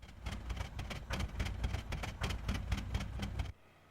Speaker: Dieseling is defined as engine continues to run after the key is turned to the off position, but now runs very roughly.